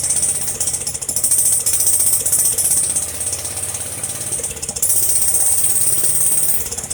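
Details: Jacobsen Chief 800 lawn tractor pulled from the weeds after long storage, first start on an old battery with brake cleaner sprayed into the carburetor: single cylinder chattering and rattling unevenly, surging and sagging, not steady. Owner suspects dirty old fuel.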